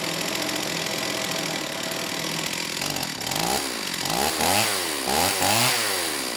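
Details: STIHL 028 AV Super chainsaw, rebuilt with non-OEM parts after straight-gas burnup; at high idle, choke off, revs surge up and down about once a second, poor response off idle, slightly lean at high speed, carb tuning trouble; crankcase air leak.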